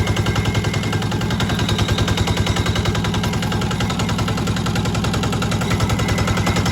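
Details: Newly acquired Yanmar TA 60H 6HP single-cylinder diesel, unmounted and missing its radiator fan, started to check it. Steady, even thumping about 3.5 beats per second with no knocks or misses: it runs normally.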